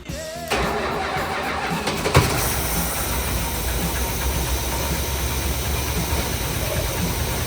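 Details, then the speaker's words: 1978 Plymouth Volare V8 after sitting: steady starter cranking with no catch, no spark; ignition wiring disconnect suspected, coil power restored by hooking up old lean burn computer, later runs not on all eight. "Okay, so what the issue is somewhere I've got a disconnect. So I hooked up the old lean burn computer and it's connected the circuit to give me power at the coil."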